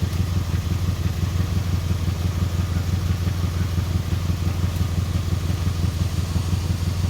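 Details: 2002 Chevy Impala 3.4 L at idle with code P0300 random cylinder misfire and scanner-reported high idle speed: uneven loping beat about three times a second with occasional stumbles; misfire causing rough idle.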